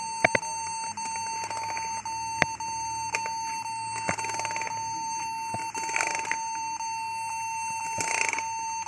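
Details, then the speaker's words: Acer laptop giving a continuous high-pitched beep while booting, with occasional key clacks. Pressing a key stops the beep, so a stuck keyboard key, possibly N, is suspected. "Jadi bunyi bip bip bunyi terus-menerus. Kalau sedang booting."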